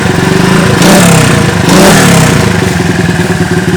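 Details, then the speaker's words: Honda CB 100 motorcycle being restored, small single-cylinder engine blipped from idle. It turns harsh and clattery at high rpm. Worn camshaft and valve rockers are suspected, repair pending. "Hei kemungkinan noken as sama platuk klep nya udah agak rusak Hai pada saat RPM tinggi dia Suaranya kasar nanti kita perbaiki lagi"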